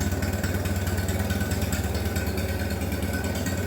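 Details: Minneapolis Moline BF tractor, out of gear, choke on, without muffler: loud open-exhaust idle with an even thump about two beats a second, no misses; normal idle.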